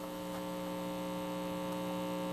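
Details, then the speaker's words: Firestone All American 5-tube radio after cleanup, back in its case: a steady low hum with evenly spaced buzzy overtones in the output, residual mains hum. Owner suspects wrong filter capacitors from earlier work. Not confirmed. "like maybe it's got the wrong filters in it but I didn't do that I didn't do the filters"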